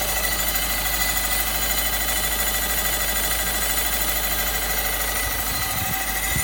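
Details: VW Golf 6 1.6 TDI 105 hp diesel at idle: dense, harsh metallic clatter with no clear even beat; metallic engine noise, cause not pinned down.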